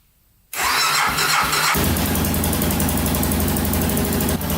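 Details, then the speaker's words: 2000 Can-Am DS 650 quad, not started in about a week, cold start on choke after carb fix, new fuel filter and timing chain adjustment; short crank, catches at once, even steady idle, no chain clatter; normal cold start. "we haven't started this thing up in probably a week now so let's turn the gas on choke"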